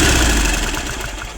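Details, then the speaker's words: 1950s Caterpillar D4 pony motor, sat at least 20 years, severed fuel line bypassed with a temporary boat tank feeding the carburetor: short burst of uneven, lumpy firing that fades quickly. Runs rough, possibly fuel-starved, not confirmed. "We've got the pony motor running. The pony motor is not happy. It definitely needs some love"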